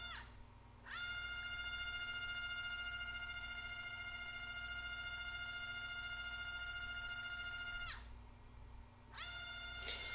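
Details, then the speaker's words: NEMA 24 5 A stepper on a Stepperonline CL57Y closed-loop driver, bench tested with Centroid Acorn at 1,200 rpm. Steady high singing tone with clean overtones while turning, stopping and restarting: smooth, healthy stepper running. "so if you want to hear the motor that's what it sounds like hopefully you can hear it"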